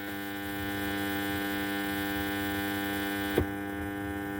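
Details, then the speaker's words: FT003 HDMI ARC board fitted in an amplifier: steady low mains hum with buzzy overtone through the speaker; supply can't deliver clean output, cured by adding a 1000 µF 25 V capacitor at the board's input. "Power supply எடுக்கும்போது அதுக்கான volt வந்து output அதனால கொடுக்க முடியாததுனால அந்த மாதிரி இருக்கு"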